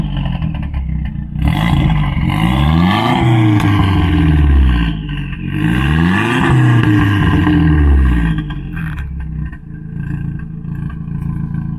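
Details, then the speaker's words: Audi S3, hot engine with warm oil: a loud, uneven idle and two revs that stumble and lump like an old tractor, with a slight turbo whistle; misfires blamed on a leak, suspected at the aluminium injector wells. "Et donc là on entend bien les ratés dont je parlais à Ouais. cause de la fuite ossurale."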